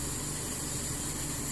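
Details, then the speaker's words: Toyota Kijang 5K engine, cold idle early in the morning after a valve clearance adjustment (intake 0.20, exhaust 0.25): steady, smooth and even, with no tapping from the valves, only a low rumble of vibration because the engine is still cold. Sounds normal. "nurut saya halus enggak ada bunyi di bagian klep cuman bagian di getaran saja karena ini masih dingin ya masih pagi hari ini"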